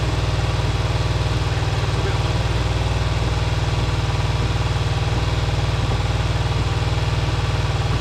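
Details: Kawasaki GPz400R track bike at idle: fast steady idle with occasional uneven pops, slight spitting misfire; owner suspects fuel left in tank for a couple of years, possibly plugs and HT leads, unconfirmed.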